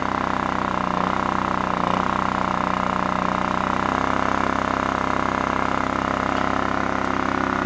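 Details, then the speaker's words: Scrapyard Honda EX650 generator, engine oil checked fine but accidentally fuelled with two-stroke premix: steady single-cylinder drone with a slightly rough, uneven beat, smoking. "it's smoking the oil the gas I put in there is a two-stroke gas I thought I had the clean can"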